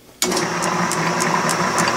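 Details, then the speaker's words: Logan lathe running just after its flat drive belt was cut and laced with catgut: the motor spins up to a steady hum with a light tick as the belt lacing passes; runs smoothly, and the lacing is expected to wear in. "You know, I don't hear any clicking either. You hear any clicking, Jordan, as the lathe? A little bit as it goes by."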